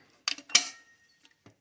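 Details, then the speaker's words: Cub Cadet 1882 garden tractor with Kohler M18 engine, rebuilt electric PTO clutch with new bearing and repaired coil insulation: sharp metallic snap then light clicks as the clutch disengages cleanly, working properly. "all right, you hear that snap? And we're not connected anymore. So the PTO is tested, and it works."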